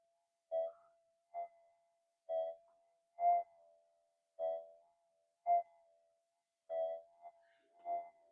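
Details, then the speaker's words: Minelab GPX metal detector on the bench: a faint steady hum and background murmur with clean mid-pitched tone bursts every second or two; a quiet, stable threshold still responding to targets. "but listen how quiet the detector is it's a little bit of background murmur"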